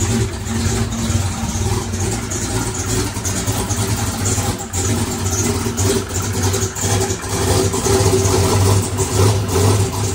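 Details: Chevrolet single-turbo race car started after adding electric primer pump to mechanical fuel pump; catches, blips up, settles into lumpy steady idle with crisp revs — normal running.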